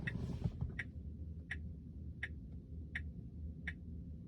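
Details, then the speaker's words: Tesla: sharp, even ticks about 1.4 a second over low cabin hum, no turn signal on; the ticking stopped after a system reboot by holding both steering-wheel buttons. "can you guys hear that it's a ticking noise in my car right now"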